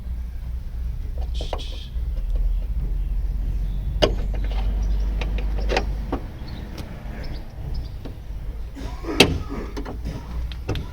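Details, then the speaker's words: BMW E36 door, power window: motor hums a few seconds, then sharp pops and clicks as the regulator pin keeps popping out of its clip; missing clip needs replacing. "oh that didn't sound good yeah no clips [ __ ] unfortunately just keeps popping out hates me"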